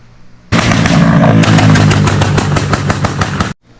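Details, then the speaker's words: 2022 Honda Grom with a tune that makes it backfire and blow flames: loud, sharp pops about four per second for three seconds. Every exhaust hanger has broken off. "like every hanger on the thing broke off could be my fault i had that uh eraser tuner where it backfires and um blows flames out"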